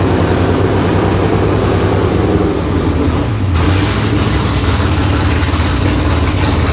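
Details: V8 in an S15 on its first start, before exhaust is built: deep even rumble with a brief throttle blip midway, no misses or knocks; normal running.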